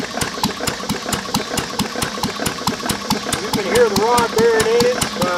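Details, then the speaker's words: Lister throttle-fed single-flywheel engine from about 1920–1930, carbureted with magneto, idle set very low. A sharp regular knock about twice a second over the slow idle beat: worn connecting rod bearing knock. Otherwise it is a good running motor. "but [Music] [Music] d now good all right guys well that's the end of today's uh Moto Monday that was our liser I mean besides the rod knock and in need a paint it actually is a good running motor"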